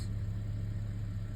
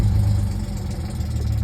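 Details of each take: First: 2010 Audi A6 C7 3.0 supercharged V6 with codes P0300, P0304 and P0305, after replacing the spark plugs and clearing the codes: smooth, steady, even idle with no stumble or skip, so the misfire is fixed. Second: 2010 Audi A6 C7 S line 3.0 supercharged V6 at startup idle, shaking heavily: low uneven stumbling lope of a multiple-cylinder misfire with rough idle; codes P0300, P0304, P0305, check-engine light, EPC and traction lights follow.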